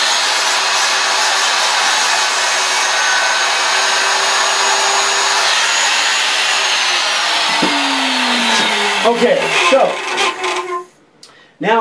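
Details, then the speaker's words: Worn router bearings going out: high steady whine with airy cutting hiss while routing a flat sign background, then pitch falls as it spins down; not for profiling or detail work. "hear that sound that means the bearing's going out now I'm still using this router and I'm going to use it right now for the background but I would never use a router that sounds like the bearings are going out when I'm doing profiling or doing anything detailed"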